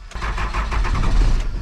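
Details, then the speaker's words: 12-valve diesel with P-pump, unstarted 2 weeks in snow, throttle cable broken so no throttle: about two seconds of rhythmic starter chugging without catching, close to firing; extended cranking, hard start before it starts. "Oh, she's close. She's close. Come on, girl. Come on, girl. Come on. I believe in you. Come on. Ooh. She's almost there."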